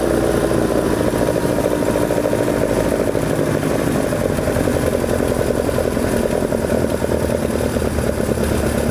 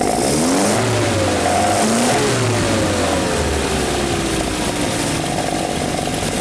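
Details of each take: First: 2 L engine on oversized 45 carburettors with big jets, velocity stacks and large chokes: low, lumpy, uneven chattering idle; rough idle because the carbs are too big. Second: Carbureted 2-litre engine, just started, on carburetors set up for this motor after the previous oversized carbs never ran right. Engine blips up cleanly, then drops smoothly back to an even idle without hanging or stumbling; normal throttle response.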